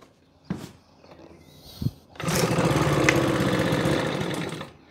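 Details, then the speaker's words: Makita BHX2500 four-stroke leaf blower, cold start on choke after about 12 months sitting unused: one pull, a quick sputtering run for about two seconds, then it dies. Fires then stalls. "first go but it died so we'll leave the choke on and we'll take some choke off"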